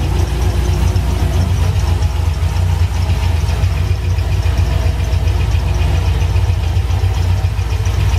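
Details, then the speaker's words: C6 Corvette V8 at idle: deep lumpy idle with uneven tapping and a backfire; owner first suspected a rocker, lifter or pushrod, but quick tests suggest not the valve train, possibly the intake manifold; unburnt fuel suspected, not confirmed. "sounds like I gotta either a rocker or a lifter or a push rod something in a valve train that's not sounding right"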